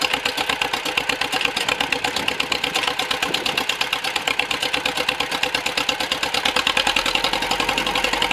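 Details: John Deere MC crawler engine, first start in a year after fuel system rework, new muffler and stack, rebuilt ignition, points cleaned with 1500-grit sandpaper; quick regular firing just under three a second, rattly slightly uneven beat; normal running.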